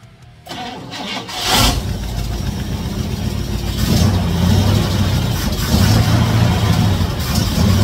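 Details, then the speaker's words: 1956 Chevy Nomad V8 that sat over two years, running only on fuel poured into the carburetor: it runs rough and uneven and surges without settling to idle, because no fuel is reaching the carb yet. "not getting any gas to the carb yet it's only running off of what I got in there and it's not enough"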